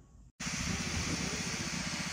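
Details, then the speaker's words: Shark steam mop model S3601 after disassembly and reassembly: steady hiss after a short click with a soft even pump pulse, no rattle or buzz; the earlier loud weird noise is gone and it steams normally. "So after putting it back together, it's fully functional and there's no sound. The rear sound is gone."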